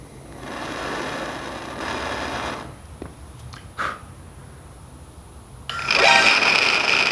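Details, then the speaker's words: 1986 Kawasaki GPZ1000RX radiator fan, triggered by heating the temperature switch: harsh rough whir with a thin steady high squeal on top; worn fan motor bearing, owner considers refitting the quieter replacement fan. "all right well let me just say that holy crap that fan bearing sounds absolutely terrible"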